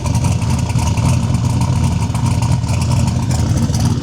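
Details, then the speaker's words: Turbo single-cab truck after Holley digital dash wiring repair, mic about 20 ft behind the camera: deep, steady rumble with an even beat, no knocks or misses, heard from behind; normal, healthy idle. "Thing sounds amazing. Idling, doing its thing."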